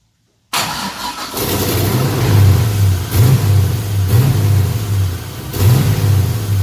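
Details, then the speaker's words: 240SX with 5.3 V8 swap: with throttle held steady at about 25 percent, revs swell then sag about every second, surging and dying out; cause unknown, owner struggling to diagnose. "so now do it again with keeping the gas pedal at it's like 25 percent something like that and so you get us so you can see what it's doing it's just revving up and then it'll die out rev up die off"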